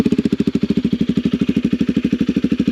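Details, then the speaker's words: Motorbike just started with a newly fitted muffler: crisp, even exhaust pulses about ten a second, steady with no misses; healthy idle and not too loud. "So if you can hear that, it's not too loud at all."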